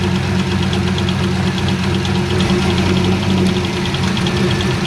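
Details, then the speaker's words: C5 Corvette Z06, recorded from underneath on a cold six-degree day after checking the harmonic balancer: fast, sharp ticking over a lumpy V8 idle, keeping time with engine speed, seemingly louder on one side. Source unconfirmed. "so it just sounds like it got louder all right again let me do it one more time"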